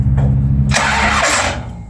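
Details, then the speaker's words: Plymouth Road Runner, sitting a year after engine overhaul, rear-mounted battery with thin cables, fuel primed: short crank then rough burst of firing that fades within a second; fires but won't keep running. "Ooh, that didn't sound good, but it sounded like she wanted to go."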